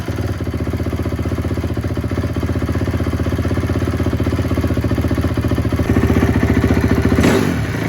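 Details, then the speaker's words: Rebuilt 2004 Honda CRF250 after cleaning a plugged pilot jet in the carburetor: crisp even thumping at steady idle, then a light throttle blip that stays clean; runs smoothly and healthy. "so that was it guys plug pilot jet so uh that one's on me"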